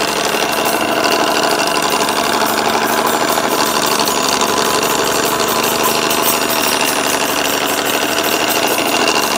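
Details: Rad Power RadRunner 1 e-bike with Bafang hub motor, started rattling while commuting, no external damage seen: harsh, fast, dense rattle with metallic grinding buzz, steady on throttle; motor rattle or gear grinding suspected.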